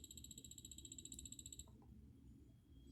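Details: Orthofix Physio-Stim Lite 314L after fuse repair and cleaning, output picked up through an amplifier: rapid, even high-pitched buzzing pulses about eleven a second, steady until switched off; output working normally.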